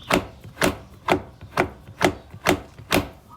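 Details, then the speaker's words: Honda Jazz GK driver-side front wheel arch above 100 km/h: steady plastic slapping from the fender liner flapping after a retaining clip went missing; fix is replacing the clip. "ก็เลยเวลาวิ่งในความเร็วสูงนะครับตัวพลาสติกซึ่งบังโคลนตัวนี้ก็จะกระพือนะครับแล้วก็จะมีเสียงประมาณนี้นะครับ"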